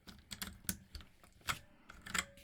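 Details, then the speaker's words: Drevo Calibur V2 mechanical keyboard: scattered key clacks, each followed by a faint lingering metallic ring, more on lower rows than upper; pinging probably from how the backplate is secured. "a metallic reverberation now probably has something to do with the backplate the way it's secured maybe it's quite a bit of pinging all across the board less so up there more so down here"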